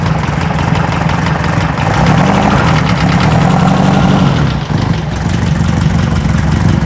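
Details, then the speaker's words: Circa 1970 sand rail air-cooled four-cylinder at idle, around 80°F shop: light quick tick over the rumble, about four per second; not rocker, owner suspects a sticking lifter, firing on all four. "still got a bit of a [Music] tick it's not rocker sounds like a lifter"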